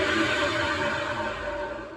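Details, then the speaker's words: Bosch WFF1401 washing machine drum spun by hand: a harsh, gravelly rumble with ringing tones that fades as it slows, from worn drum bearings. "the bearings sound terrible so I'm going to turn it around take the back off and get into it"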